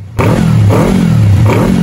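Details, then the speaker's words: Yamaha R25 twin with KEA Speed 40cm exhaust and velocity stack, CO setting raised from 5 to 15: low revs rise and sag in uneven surges about every three-quarter second, stumbling rather than pulling cleanly off idle; low-rpm hesitation. "kita coba naikin langsung ke 15 gitu kita lihat gimana suaranya dan gimana efek nya"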